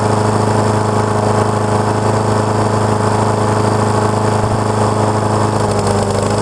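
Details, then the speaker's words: Neighbor's Honda HRX217 lawn mower, about 6.5 hp, reported to start, run a second and shut off; after auto-choke work, restarted and warming up. Steady engine drone with no surging, knocking or hunting; running kind of okay, carburetor still to be checked. "so it's running kind of okay I'll uh definitely look at it still just to to make sure"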